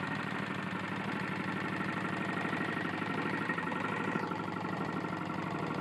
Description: My Tecumseh lawn mower has a serious connecting rod issue